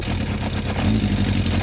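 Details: 70 hp engine fitted in a kart: an uneven, lumpy beat with a wavering drone, running rough. A rattling timing chain at about 75,000 km is suspected; valve clearances and the carburetor are to be checked. The cause is not confirmed.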